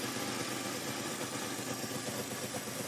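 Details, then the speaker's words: 1966 Pontiac Tempest overhead-cam six, revived after sitting about 30 years, idling steady and even after hard revving with no knocks or misses and no overheating; it smokes a little, owner suspects cylinder number three and sticky rings. "Well, that's a pretty good sign. We just abused on it pretty good. Didn't get hot."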